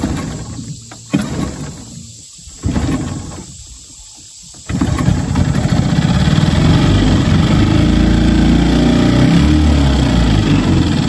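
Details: New Hangkai 6.5 hp four-stroke outboard from eBay, started easily out of the box: catches after a few pulls, then settles into a steady, even drone with no misses or knocks; runs cleanly.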